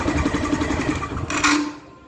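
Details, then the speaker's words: Yamaha Fazer 150 motorcycle starter motor: fast buzzing, chattering grind while cranking and a short harsh whirr on shutdown; noisy starter from lack of maintenance, fixed by cleaning, sanding and greasing. "ó barulho quando dá partida e quando desliga vou desmontar aqui já mostro PR vocês o defeito a galera simplesmente falta de manutenção limpeza né higienização"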